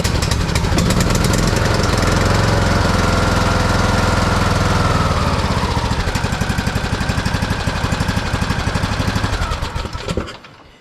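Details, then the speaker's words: Craftsman YT3000 rider with Briggs & Stratton single-cylinder Intek engine, brought in for an intermittent no-start and dying problem, after a fixed leak; fires up and runs with a steady even chug, then shuts off cleanly; healthy. "It still fires up really good. So, I think this one's going to be good to go."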